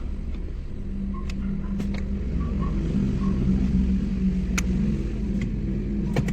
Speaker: Wala na yung kalampag niya. Oh, nasa rough road kami. Ayos na. Smooth.